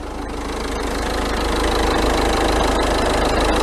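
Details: 2014 Ford Fiesta 1.6 TDCi diesel, 140,000 km, after repair of a crank-no-start (P244D) with new timing belt: steady even idle chatter, about four pulses a second, no misses or knocks; normal idle.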